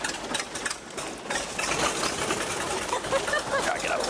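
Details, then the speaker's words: 1949 A35 V-tail Bonanza piston engine, not started in about 7 years, possibly flooded; started at full throttle then pulled to idle while pumping; loose, even chuffing idle over heavy prop wind, oil pressure coming up, running healthy. "Oh, she sounds good. That's what I'm talking about."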